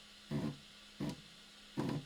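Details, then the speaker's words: Prusa i3 MK2 3D printer during Z-axis calibration after a firmware update, with the carriages driven until they bottom out on the top pieces: short buzzing grinds over a faint hum. The stepper motors are skipping steps at the end stop, as intended. "when when it gets up there you'll hear the motor is actually skipping steps"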